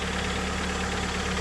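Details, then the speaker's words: Mitsubishi Lancer X 4B1x-family engine, cold idle: fast steady ticking knock on the left side of the engine, traced on teardown to excessive play in the exhaust cam phaser; intake phaser had no play. "Вот она, собственно, и причина стука. Вот этот вот фазовращатель выпускной."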